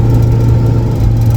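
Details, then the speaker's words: Turbo Lincoln Town Car with a 3.55 rear gear, driven on a freezing morning: steady low howl under the engine drone, holding one pitch throughout and clearly coming from the rear. Differential noise; diff cover to be pulled to investigate. "You hear that howling? Gone. There it is. That's the noise we're trying to figure out. Definitely coming out of the rear though."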